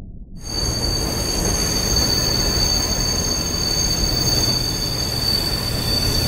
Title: LOUD SCREECHING NOISE ON THE FINN METRO SUBWAY!